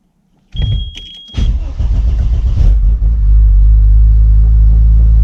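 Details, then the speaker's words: Audi S2 with the stock ECU refitted: starter cranks briefly, engine catches with a flare, then settles into a steady but noticeably fast idle; idle speed sits too high. "jasso tyhjä käynti Vähän meinaa olla isolla"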